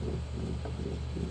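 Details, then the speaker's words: 2014-2020 Nissan Rogue rear differential coupling, removed and spun by hand on the bench: low gritty rumble that feels really rough, suspected worn internal bearings (two bearings in the coupling). "so I'm spinning this and it feels kind of rough say the least I'm thinking that the problem is in these bearings I me you can hear that"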